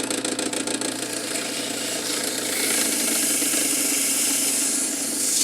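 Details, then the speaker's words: Cool Breeze 16" oscillating desk fan EB24616 motor: hum with a loose, uneven rattle and rising hiss, much quieter when pressure holds the shaft against the bearing; severely worn motor bearings. "see if I if I apply a pressure to it to keep it up against the bearing it's it's much quieter so unfortunately this is a bearings problem and it's pretty severe"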